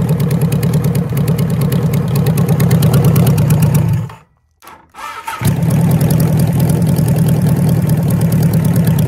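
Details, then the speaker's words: 1974 Kawasaki Z1B 900 four-cylinder engine, with no sign of ever being apart since the factory, run out of the bike for the first time since 1979 with carbs balanced by wire and blowing; even steady burble, a brief cut-out, then it picks straight back up to a smooth idle: normal idle. "it idles beautifully i set them up with little bits of wire and by blowing through them last night"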